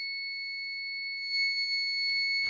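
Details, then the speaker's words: APC Back-UPS Pro 1500VA (BX1500M) with a badly seated battery connector, showing fault code F02. A steady, unbroken high-pitched tone means a continuous fault alarm; heat is coming out and there was an earlier electrical burning smell. "That's what the sound it was making when I walked in the house, and it says F02, whatever that means."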